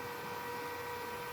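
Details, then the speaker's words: 2.2 kW spindle driven by a Fuling DZB300 inverter, tested after parameter setup: a steady, even high whine over a soft hiss, with no knocks or wobble. The inverter fan is louder than the spindle, which runs smoothly and normally without cooling. "Suaranya sangat halus. Ini adalah R.000. Suaranya sama, kipas inverter lebih berisik daripada ini."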